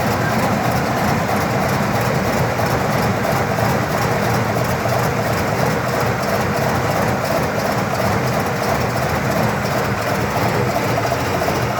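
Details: 1979 Cadillac Coupe DeVille V8 on a cold start at about 45°F after sitting two days, throttle untouched: deep, uneven, lumpy rough idle until it warms up and smooths out.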